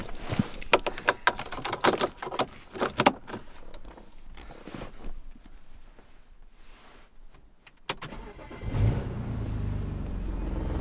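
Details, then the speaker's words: BMW E90 N54 after installing a Precision Raceworks stage 2 in-tank fuel pump: a short crank catches at once, takes a little gas and settles into a smooth, even idle. Normal start and idle; fuel loss over time not yet checked. "Fired right up. Give it a little gas. I think it's safe to say it's working."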